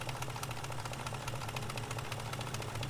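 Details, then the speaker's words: BMW 540i V8, engine recently reinstalled, has a quick, uneven metallic chatter over a lumpy idle that was first taken for chain slap. The cause was a solenoid between the intake and exhaust sides that was never torqued down; valvetrain rattle from loose solenoid nuts. "I don't know, that sounds like Chain slapping."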